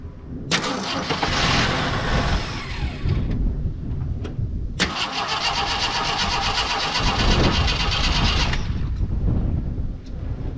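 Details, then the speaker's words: 42-year-old Army Jeep not started since 2009, carbureted, air filter off, starter fluid sprayed in carb: two spells of cranking, each catching with a brief rough burst that dies back, never settling into idle. "that was promising first try just basically burnt the starter fluid but let's give it another"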